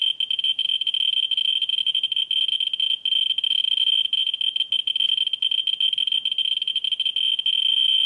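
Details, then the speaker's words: Ludlum 14C with a Ludlum 44-3 gamma scintillator brought near a smoke detector's americium source in fast mode: a dense, high-pitched stream of clicks merging into a near-steady buzz as the meter counts fast. "now let's bring the cameras into for comparative smoke detector and that's on fast mode going near"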